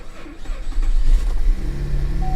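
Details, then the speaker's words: Damaged, roughly 10-year-old car with a worn seat bolster, first start: short uneven crank and catch, then a lumpy, shaky idle vibrating as if misfiring; owner suspects engine health issues seen in other Cadillac CTS engines. "That wasn't the healthiest sounding start I've ever heard. I'll be the first to admit that. That didn't sound healthy at all. It's vibrating like it's got a misfire."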